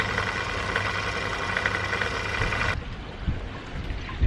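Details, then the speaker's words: Koi pond pump humming low under rushing, gurgling water with uneven churning weird noises, after a previous seizure; abnormal pump noise. "can't be good, can it? Making these funny noises again."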